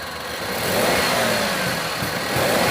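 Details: Maruti Suzuki WagonR K-series with company-fitted CNG, switched to petrol (misfire occurs only on CNG): quiet, even hum with no stumbles or uneven beats; the engine runs smoothly with no misfire.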